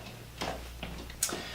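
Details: Wooden geared clock built in the 1990s, keeping time within about 10 seconds a day: crisp evenly spaced wooden ticks about every 0.4 seconds in a quiet room, escapement beating steadily and healthy.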